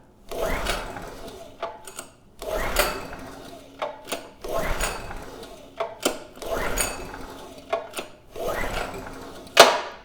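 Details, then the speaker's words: PowerMate generator (model PM0123250) after draining water, choke open: five slow recoil pulls whir with no firing; no start suspected from a spark plug boot not seating on the plug. "Still nothing. Spark plug boot. It's not on that plug very well. So I'm thinking that was the issue."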